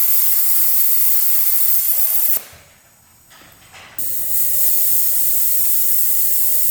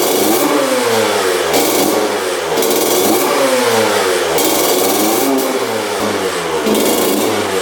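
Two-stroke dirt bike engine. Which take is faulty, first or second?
first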